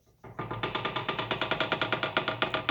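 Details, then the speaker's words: Bridgeport mill head after keyway and variable-speed pulley bushing replacement; the remaining noise is a high-gear clutch spline rattle from play: sharp even clicks about eight per second over a quiet hum. "I've replaced key waves and variable speed pulley bushings and got all the noises and clunks out of it except for one and that is clutch gear out"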